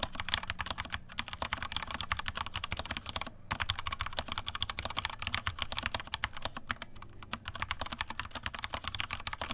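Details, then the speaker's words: Vortex Cypher keyboard, stock Cherry MX Silver linear switches, stock keycaps without o-rings, microphone moved down, typist bottoming out: fast crisp key clacks in a steady flurry, clean bottom-outs, no spring ping; normal typing, not unpleasant. "okay so just some general key spamming all right okay so that is a rough ish sound test of what this vortex cipher with the MX Silver's sounds like it's not unpleasant"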